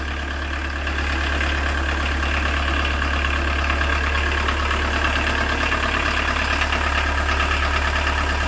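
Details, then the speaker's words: 1986 VW Jetta 1.6 turbo diesel rescue car, bought with almost no compression suspected and a dry injection pump, now starting off the key: steady, even diesel idle with a smooth low rumble, no knocks or misses; healthy normal idle. "what four hours work not even that includes getting it home here it is starts off the key"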